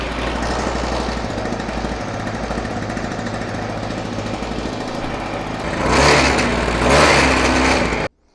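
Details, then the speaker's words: Mototec 49cc two-stroke pocket bike, cold pull start with choke lever up: fast, even idle with two quick blips; normal running on choke, choke then lowered. "once you have the bike running you can put this choke lever back down in the down position"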